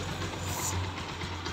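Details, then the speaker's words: Bajaj Pulsar 125 BS6, after repair of a popping ("phat-phat") noise that was heard at low throttle: steady even single-cylinder idle with a low thump and no obvious popping, better than before; normal idle. "तो अब आप आवाज़ सन सकते हैं किस तरीके से हमारा साउंड हुआ पहले से हालांकि बेहतर"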